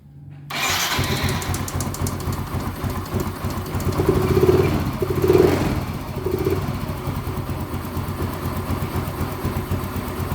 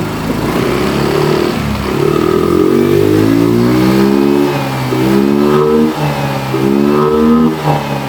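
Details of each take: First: Yamaha Mio M3 125 scooter after new spark plug and second part replacement, fuel pressure reaching standard 40 psi (was 30), idle screw untouched: catches within a second and settles into even steady idle; normal start and idle. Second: Yamaha Mio M3 125 scooter, fuel pump never replaced in 5+ years: pressure reaches 40 at idle but drops to 30 on throttle blips, revs picking up unevenly, struggles to hold idle; weak fuel pump.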